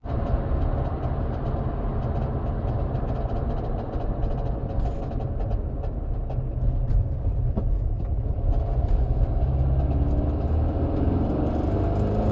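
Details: Air-cooled 2165cc Type 1 engine with dual Dellorto DRLA 40 carbs, DTA Fast S40 ECU with crank trigger, CSP Super Comp, closed air box; deep steady drone with light ticks, new noise of unknown source; valves checked fine, blocked #3 idle jet cleared.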